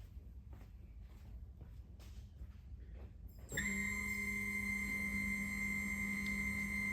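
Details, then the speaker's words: 1979 Porsche 911SC with a no-start after an ignition upgrade. Engine off, fuel pump switched on to check for 35–40 psi fuel pressure, and a sudden steady high squeal appears and holds. That squeal shouldn't be there, pointing to a fuel injector leaking down. "so it looks like we got an injector leaking down so we're gonna go check those out yeah you're not supposed to hear that squeal when you just turn the fuel pump on"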